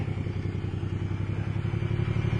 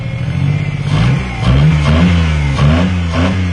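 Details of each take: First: Car that had a no-start from missing spark, now started: an even, steady low engine beat with regular firing and no misses; running well, though the throttle cable sticks badly. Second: Car recovered from no-start, missing spark: engine surges and hangs at high revs instead of returning to idle because the throttle cable is sticking badly; otherwise runs well.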